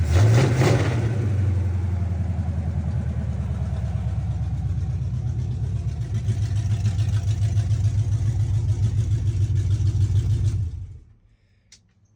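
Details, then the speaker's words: 1976 Chevy C10 small-block 350 V8 after 2-barrel to 4-barrel carburetor and intake swap, timing not yet checked: low, steady lumpy idle with even pulses and no stumbling after earlier stalling; runs healthy before shutting off. "that sounds pretty damn healthy okay well we got that done"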